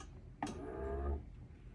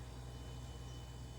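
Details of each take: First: Samsung refrigerator all-around cooling fan removed and spun by hand: short low droning hum sagging as it spins down; owner suspects bearing or shaft, replaced with whole fan assembly. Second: Samsung all-around-cooling refrigerator after replacing the evaporator cover and fan assembly (OEM DA97-21002A) that had been humming loudly: fan kicked on, barely audible, just a faint steady quiet hum with no rattle or ticking, as it should be.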